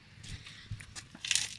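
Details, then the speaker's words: Honda Accord wheel turned slowly by hand, wheel off: rough, uneven scraping of pads dragging on the brake disc because a seized caliper or piston, possibly rusted from moisture past a torn boot, won't release; wheel gets hot. "das heißt wie wenn man ganz leicht auf der bremse wäre natürlich wenn er die ganze zeit reibt man sich vorstellen nach ein paar kilometern entwickelt das ding der hitze ohne ende"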